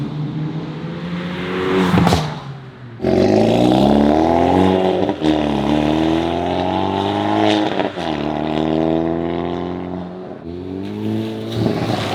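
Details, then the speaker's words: Hyundai Veloster N turbo four under acceleration in N mode, Depo Racing catless downpipe, JB4 tune, loud in the cabin; raspy exhaust climbs cleanly through each gear with crisp upshifts, no ticking or puffing: healthy exhaust. "Alright boys, so this is what it sounds like in N mode. Loud in the cabin."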